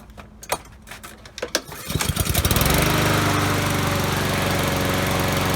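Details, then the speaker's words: Honda-powered lawnmower that earlier ran badly after about 3 minutes, started again: a few pull-cord tugs, then it settles into a steady, even buzz; it later cut grass after 10 minutes with slight surging; normal start and run. "Fire it up good. Fires up good, so I'm going to let it run for about 5-10 minutes, okay?"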